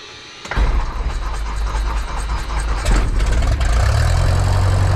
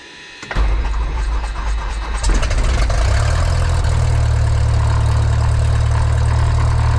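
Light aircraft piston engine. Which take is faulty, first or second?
second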